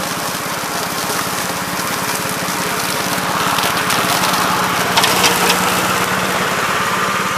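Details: 1969 Gravely C8 walk-behind tractor after repair of no-high-range fault (drove only in low range, stop-and-go in high); morning start-up, crisp, even single-cylinder firing at steady pace, no misses or knocks; running normally.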